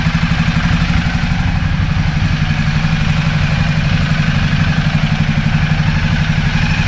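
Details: 2010 Ducati Multistrada 1200 twin, after new high-capacity battery and starter cables fixed slow starting: firm, even beat about four pulses a second at idle, no misfire or stumble; engine runs healthy.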